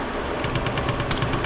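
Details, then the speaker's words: Prusa MMU2S multi-material unit at power-on with 2 filaments loaded: after a short pause, even mechanical clicks come about nine per second as the pulley idler motor self-calibrates to find its ends; this is normal and happens at every startup. "that's an okay noise? Yes, that is an okay noise. That is its... When we first heard that, we all panicked. Yep, that's... It's a little concerning, but that happens every time you turn it on."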